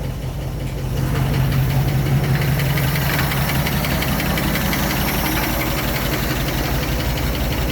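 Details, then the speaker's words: 1967 Ford F100 FE big block V8, cold start with choke off after carburetor rebuild, accelerator pump fixed and mixture screws reset: steady even low idle, no misses or knocks; previously smoked from rich running, now only condensation. "and check that out no more smoke pouring out this thing was smoking like crazy before cuz it was right running so rich it's smoking a little bit cuz of being cold now all that is is condensation"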